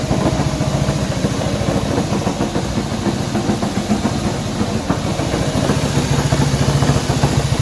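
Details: Honda CB190R motorcycle engine noise at idle: single-cylinder idle with a loose irregular ticking pulse three to four times a second; abnormal noise, source not pinned down.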